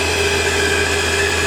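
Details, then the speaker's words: Lathe power feed motor running during a turning cut: constant high-pitched whine with steady overtones over the motor; owner says it sounds louder on camera than in person and plans a NEMA stepper swap; cause unknown. "Can't even put my hand over it to stop the noise. But it probably makes about the same amount of noise as the drivetrain in the headstock if I were to have that connected. So yeah, for some reason it comes out very loud on camera."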